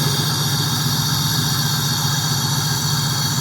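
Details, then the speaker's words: 1997 Pontiac Trans Am LT1 V8 just after replacing the original PCV valve: even, steady idle with a low, regular rumble and no stumble, about 75% of the former rough idle gone, no more cutting out on throttle. "Wow, that actually made a huge difference. My car used to uh actually rumble from the from the uh stumbling on the idle and I would say about 75% of it is gone now. I've got a way smoother idle. You can probably hear how smooth it is."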